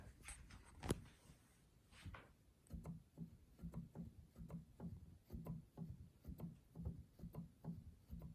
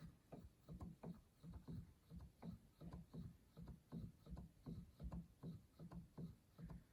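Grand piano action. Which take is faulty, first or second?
first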